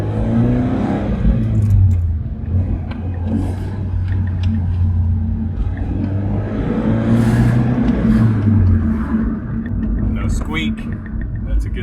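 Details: Scion FR-S (rebuild project car) on a test drive at slow speed: low, steady engine rumble with no squeak or creak from the suspension, after a squeak traced to suspension failure was addressed.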